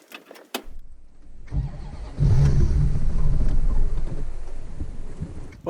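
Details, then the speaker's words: Old Dodge Ram 250 van that sat for years, first restart: the engine catches and runs unevenly with a lumpy, stumbling beat and won't keep running on its own; owner suspects it isn't getting fuel or the fuel is bad. "it doesn't run on its own. I'm gonna have to figure out, get in there, figure out why it's not getting fuel, or if the fuel that it is getting is bad."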